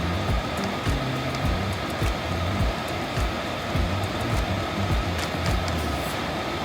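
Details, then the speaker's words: Diesel air heater on an off-grid high desert homestead, first ever run before manual priming, controller in counter, fuel pump mounted floating midair off surfaces; even quiet blower rush with soft low pump ticks about two a second, normal running. "now that my controller is off in the in the counter there you can hear how quiet this is"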